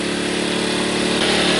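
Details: Sportsman 1000 W surge / 800 W inverter generator with economy mode switched off: steady buzzing drone that picks up slightly in pitch and stays even; normal running.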